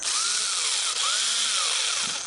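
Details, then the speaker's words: Old DeWalt 1/4-inch impact driver, long-used, gearbox believed about to fail: high, rough whir rising and falling with the trigger, with a gritty grinding edge; worn gearbox suspected, not confirmed. "I think the gearbox is just about to shell out, and you can hear it kind of grinding."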